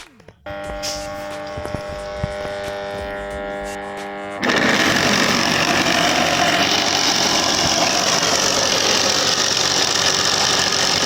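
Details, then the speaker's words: Household water pump motor: hums steadily without turning at startup until the fan is turned by hand, then runs very loud and rough from worn bearings needing replacement. "Nah teman-teman bisa kalian dengar dan lihat sendiri tadi ketika mesinnya saya hidupkan suaranya itu sangat kasar sekali ya dan ketika dihidupkan juga ada dengung terlebih dahulu"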